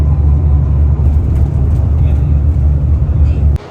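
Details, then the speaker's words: Hino RN bus (Adi Putro Jetbus 2 HDD body) cruising from Malang toward Ngawi: constant low droning hum and vibration from the undercarriage under road noise; passenger suspects worn-out suspension rubber bushings, unconfirmed. "Ya seperti tadi teman-teman sudah lihat di bagian kaki-kaki bisnya tuh eh bunyi mendengung"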